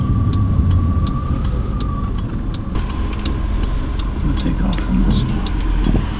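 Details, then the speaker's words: Car bought from a title pawn, on a test drive at steady cruise: road roar under a constant deep whine, like a semi on the road, heard from the rear. A wheel bearing was first suspected; the finding is transmission whine. "yeah so I don't know if you can hear that that roaring or almost like a a deep whining noise kind of like a semi driving down the road that's about what it sounds like"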